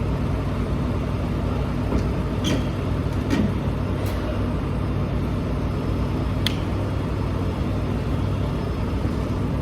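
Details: Volvo EC480EL crawler excavator, Volvo D13 diesel, rumbling loudly at steady speed with occasional sharp hissy puffs from an exhaust leak.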